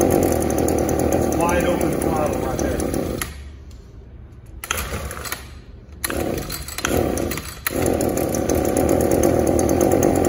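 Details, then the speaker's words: Echo SRM280S string trimmer, small two-stroke, won't rev up; spark arrester screen checked, carburetor seems okay, new plug fitted. Before repair, it buzzes unevenly and drops away rather than climbing, bogging from a clogged catalytic converter. "let me crank this up and let you hear it let me get this thing cranked up and just kind of pay attention to the exhaust note and we'll go from there"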